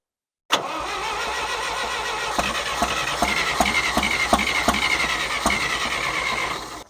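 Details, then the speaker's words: John Deere 1010 tractor after new Zenith 12566 carburetor and full ignition rewire: steady cranking about three turns a second without firing because the fuel tap was off; sounds better once fuel is turned on. "I guess I should turn the fuel on. Sounds a lot better."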